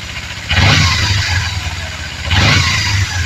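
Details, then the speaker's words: Kawasaki Z250FI (Ninja 250 engine) just after manual TPS adjustment; two quick throttle blips rising from idle and dropping back without stumble or jerk; smooth throttle response. "oke pada posisi 2 R saja cukup ya akan terasa sekali kalau digas ya ya sama sekali tidak ada apa namanya tidak ada ganjelan ya atau"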